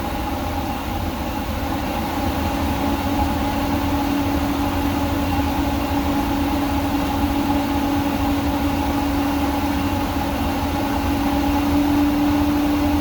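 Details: Workhorse W22/W24 chassis 8.1 Vortec with radiator blocked off, engine at 225°F: steady loud whooshing roar with constant low drone as fan clutch locks up after a long wait (expected near 205); normal fan clutch engagement.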